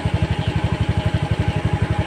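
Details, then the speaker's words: Honda Scoopy eSP scooter with idling stop not working, idle measured at 1432 rpm against the 1600 rpm minimum needed; even, slightly slow single-cylinder thump; idle speed too low, so the engine did not stop. "ulangi sekali lagi setelah kita cek putaran stasioner nya ini ternyata belum mencapai 1600 ini masih di angka 1432"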